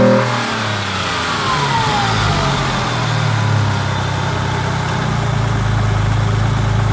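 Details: Ford ST220 V6 held at raised revs runs rough and uneven, random misfire on banks 1, 2 and 3, down on power and won't rev past 5k, due to a blocked rear catalytic converter.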